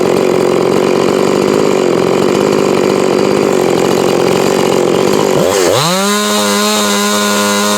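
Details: Husqvarna 345 converted to a 350 with a finger-port cylinder, after inconsistent running; screams at full throttle, then drops smoothly to a steady, even idle; healthy.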